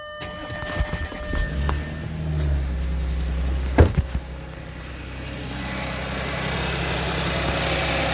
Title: audi s4 weird squealing noise in beginning then went away